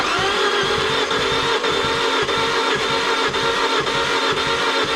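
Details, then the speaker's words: 2009 Fiat Punto Abarth cranking: starter spins fast and light with no rhythmic slowing on compression strokes; zero compression. Owner suspects the cam belt snapped or the timing slipped, damaging a piston and bending the valves. "been able to hear that this Punto has got zero compression whatsoever."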